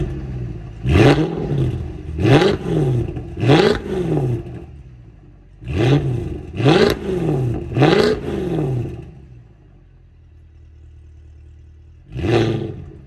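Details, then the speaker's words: Mercedes CLK63 AMG, M156 V8, stock exhaust, decatted, started then blipped about six times; the start sounds laboured, possibly a weak battery. Slow cranking. "I need a new battery in this car. You probably hear it struggle. The starter motor dragged there a little. I don't know if it's the battery or if it's just the way this thing starts."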